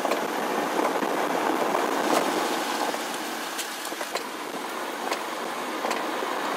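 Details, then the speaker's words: 2009 BMW E90 328xi, lav mic taped near front suspension while driving: sharp metallic clicks irregularly over steady road rush as suspension works; worn front sway bar end link, replaced. "so I don't know if you came to the same conclusions me but that last one sounded much different more metallic to me and so that's what I'm gonna buy and that is the sway bar link"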